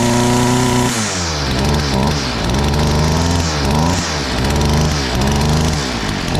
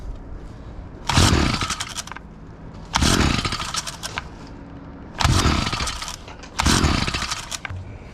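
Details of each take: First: STIHL FS38 two-stroke line trimmer, first start after about two years with fresh fuel: buzz blips up and drops back several times, then settles; runs and returns to idle cleanly. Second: Stihl FS38 line trimmer, unrun for two years, fresh fuel, choke on, first start after reassembly: four short rasping pulls that fade without catching; cranks but won't run, spark to be checked next.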